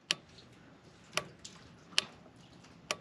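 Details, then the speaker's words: Woodmizer LT35 sawmill 25hp Kohler engine during carburetor swap, ignition on: sharp light ticks about once a second in quiet; carburetor getting power normally, heard before reassembly. "hope you guys can hear that that's kind of what it sounds like when it gets powered you want to make sure you hear that before you go any further with putting it all back together"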